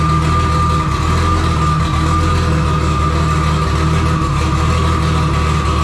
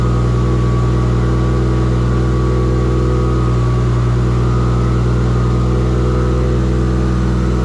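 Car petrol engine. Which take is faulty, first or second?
first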